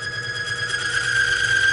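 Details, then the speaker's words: One-arm bandit oil test machine, pressure slowly increased on the oil as its anti-wear additives react with heat: a steady high squeal at one pitch grows louder under load and then smooths out; lubricant film breaking down under pressure. "Now you can hear a little sound, but then it's smoothed out."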